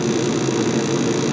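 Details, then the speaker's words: Mr Heater/Heatstar MHU compact furnace on a 24 V transformer, called for heat with an R-W jumper, after ignition and gas-on with the board showing a normal fast flash: smooth blower hum and burner roar, no clicks or rattles; normal operation. "we're going to hear the ignition and we're going to hear the gas out so we're going to let this unit go through its operation then the Flames are going to come on"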